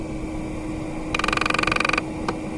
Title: Audi A6 C5 - climatronic V71 air flow flap clicking noise